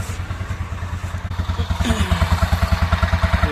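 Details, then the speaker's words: 2019 TVS Ntorq scooter idling after engine rebuild with new piston, rings and timing chain set, refitted to body: even, steady putter with regular firing pulses, no knock or chain rattle, much quieter than before; normal idle. "तो गाइस ये हमने इसको इंजन को फिट कर दिया, देख सकते हैं इसकी आवाज़। पहले की आवाज़ देखी थी आपने, कितनी ज़्यादा आवाज़ कर रहा था"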